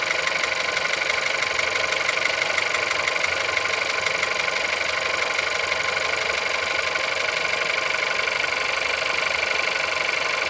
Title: Холодный пуск. Стук в двигателе. Пробег 176000.